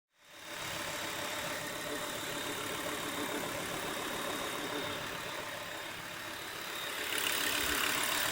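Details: Volvo V70 2.5T idling with a regular tick about four times a second and a thin high whistle; engine noise, cause unclear.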